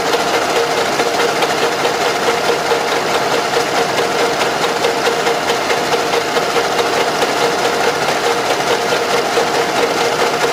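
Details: Running engine with a steady sewing-machine-like tick about twice per second; knock from excessive camshaft axial end play in the head, engine with heavy deposits and blow-by; fix: machine the original plug about 0.5 mm.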